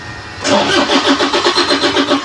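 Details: Toyota Hilux engine cranking on starter, ran earlier but now won't start; steady pulsing whirr about five beats a second, engine never catches; crank no start.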